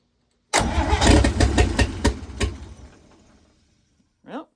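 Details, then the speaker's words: 1954 International Metro van engine, newly installed, first start attempts while troubleshooting an ignition wire whose voltage drops when connected: brief catch, a few uneven heavy pops dying within three seconds, sounds like firing on one cylinder; spark problem suspected. "It only sounds like it's firing on one cylinder, but does fire at least."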